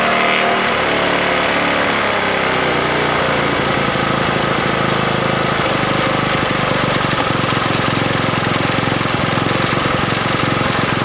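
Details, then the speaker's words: 1964 Honda S90 single-cylinder after trying to stop a fuel leak and refitting the carb throttle slide: chugs unevenly with a ragged, stumbling beat instead of a clean steady putt; running rough, worse than the day before. "Well, I think we stopped the leak, but it's running like crap compared to yesterday, which really kind of sucks."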